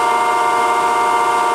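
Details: Okamoto ACC-12.24DX 3-axis hydraulic surface grinder with spindle and hydraulic oil pump running together: steady, smooth hum at constant pitch with no knocking, rattle or surging; runs cleanly.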